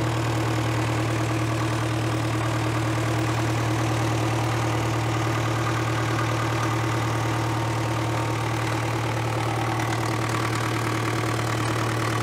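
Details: 1970s Cat D330C 4-cylinder diesel generator set (90 kW standby), sat 10+ years, running wide open with no load, coolant not yet warm: steady strong even drone, no knocking or surging, smoking a little; small coolant leak at a crack; normal.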